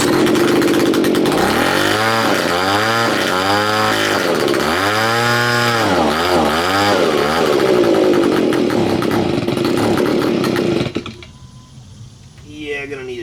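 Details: Neglected Stihl BG55 leaf blower curb find, carburettor partly cleaned, first start on choke. This small two-stroke revs up and down unevenly, surging and hunting rather than holding a steady speed. Running rough, needs carburettor adjustment; cause suspected, not confirmed.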